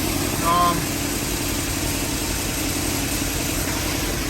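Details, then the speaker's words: GMC Sierra 5.3 V8 with BTR stage 4 cam, longtube headers, equal-length exhaust, after header gap fixed: even smooth idle, steady low burble, no puffing or ticking; exhaust leak gone. "let me turn it on real quick yup no more exhaust leak"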